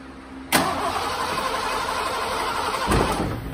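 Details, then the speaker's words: 1986 Ford F-150, sat 15 years, just after fuel pump replacement, key cycled to prime: starter whirs steadily a few seconds without catching while the new pump refills empty fuel lines; extended cranking. "okay recycle a few more times might take it a bit to get fuel"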